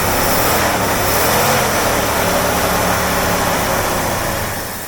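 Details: 1972 AMC Hornet Sportabout after about 24 years in a junkyard, running after a carb rebuild that cleaned debris from the bowl and the needle and seat. It catches and settles into a steady, even idle with no misses, knocks or stumbles, and no fuel leaks.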